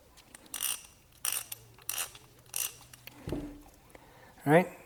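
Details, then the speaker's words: Socket ratchet that previously had almost no grease, now cleaned and greased: short, soft bursts of fine, even clicking with less drag and no harsh rasp. Normal ratchet operation. "let's drag look how quiet it is now oh my God this thing feels absolutely amazing now oh yeah nice less drag"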